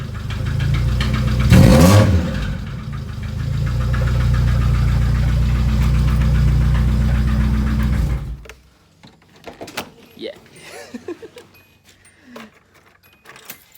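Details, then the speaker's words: Nissan 240SX engine at idle with a connecting rod separated from the crankshaft: heavy, regular knock hammering under the engine note, about four a second, then the engine shuts off. "What does a crankshaft and a connecting rod sound like when it got separated, right? So let me give you a little preview of what it sound like."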